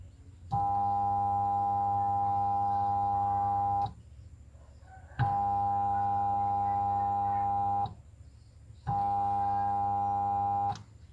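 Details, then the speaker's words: Sharp washing machine spin motor with burned winding: three bursts of steady electrical hum when switched on but never speeds up; fixed by rewinding the motor. "Hai suaranya hanya dingin di bagian mesinnya perhatikan"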